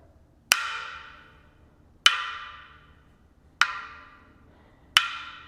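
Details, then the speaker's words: Roval Terra C carbon front gravel wheel, bead wall chipped on a steep descent: four sharp resonance taps around the rim about 1.5 s apart; the tap over the damaged bead rings duller and shorter, mechanic advises not riding it. "So you can see it just doesn't ring in that spot quite right."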